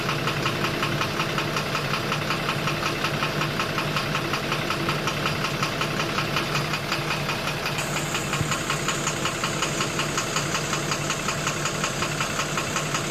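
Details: 12-M FE engine at a steady idle with a sharp, regular knock roughly three times a second, even and persistent throughout; knocking problem at idle.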